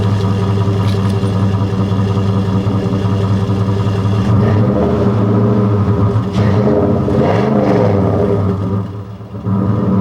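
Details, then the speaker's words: 2001 Dodge Durango SLT 4.7L V8 4x4 revved, mic at exhaust; Flowmaster 40 series single-in single-out muffler with MagnaFlow catalytic converter, aftermarket intake; rumble swells smoothly on blips and drops back cleanly, no popping or knocking; normal exhaust note. "bring it around to the exhaust this is a flow master 40 series uh single in single out along with the Magna Flow catalytic converter"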